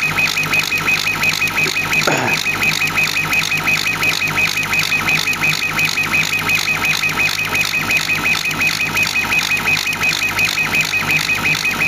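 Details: CO2 laser cutter engraving material: high-pitched squeaky chirping repeats steadily about three times a second, the laser's pulse-width modulation; normal operation.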